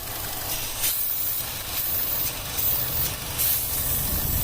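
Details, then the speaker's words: 2012 Chevrolet Cruze RS 1.4L turbo, codes P0171, P069E, P023F, idling: steady hiss over low idle rumble that shifts as the valve cover PCV port is blocked, fuel trims swinging; valve cover vacuum leak. "all i'm doing so it needs a valve cover i'm going to look see if it's serviceable separate but i think it's all one piece"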